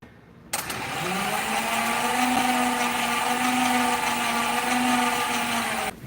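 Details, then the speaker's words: V8 Chevy in a Curtiss P6E replica biplane, unrun for 22 years, cranked on an extra jump box plus battery. A low, sluggish starter drone; the causes found were poor battery connections, bad old fuel and a toasted starter. "I just wasn't happy with how slowly the engine was turning considering this is a V8 Chevy engine. So, we spent the next couple of hours trying to figure out if we had a bad connection."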